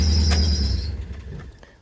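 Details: 2007 Chevrolet Cobalt with a persistent P0335 code, a long crank time and no RPM signal starts with a thin squeaky squeal for about a second, then fades. The fault was diagnosed as an improperly installed new crank sensor.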